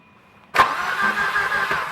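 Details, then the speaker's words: Volvo 240 turbo wagon that won't start after a fuel pump change, ignition timing slightly retarded: starter spins the engine fast and light with no compression pulses; owners suspect the crank gear or cam timing is off. "Whoa, it's not That's even way compressing. Then something's up."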